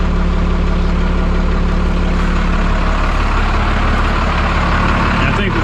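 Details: 1991 Freightliner FL70 tow truck, believed 5.9 12-valve Cummins diesel, sat about 15–20 years; started right up: steady low diesel idle, even clatter about three beats a second, no knocks or misses, good oil pressure; normal idle.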